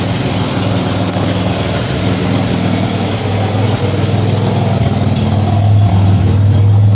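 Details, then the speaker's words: 2007 Pontiac Grand Prix with ZZP XPZ cam, cold start, microphone at rear: low rumbling idle with rough puffing edge; exhaust leak at flange still missing its gasket. "Sounds like most of it's escaping here. Still haven't put a gasket in the flange yet."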